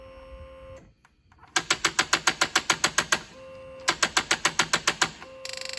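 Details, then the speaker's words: Polaris Sportsman 500 ATV, cranked with a fuel-pump rattle and possibly no fuel: rapid sharp clicks about three or four a second in bursts, no cranking; starter solenoid clicks, owner unsure whether solenoid or something else is bad. "this is clicking in that solenoid for the starter is clicking so I don't know if they're one of the two is bad or if something else"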